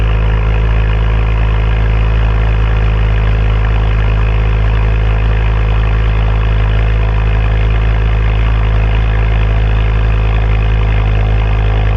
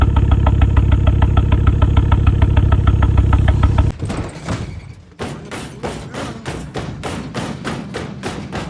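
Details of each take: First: Ford Focus XR5 Turbo after a misfire repair with new coil packs and RS spark plugs, codes cleared: deep, steady idle with an even low thrum and no skips or stumbles; normal idle. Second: Ford Focus XR5 Turbo at idle, spluttering on a drive home: heavy, uneven thump about 200 times a minute, a lumpy beat; cylinder misfire.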